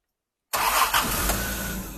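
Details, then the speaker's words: Jaguar E-Type 4.2 after carburettor tuning and balancing, previously lumpy: quick clean start then even, smooth idle with no lumpiness or misses; running sweetly after tune. "It's now a different car. It actually is, isn't it? It's it is. Beautiful to listen to."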